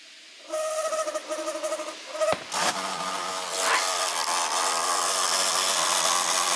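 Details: MSI GP66 Leopard laptop (RTX 3070) right cooling fan making a harsh rough whirring grind with a high buzzing edge after a few weeks of use; suspected defective fan or loose blades, not confirmed.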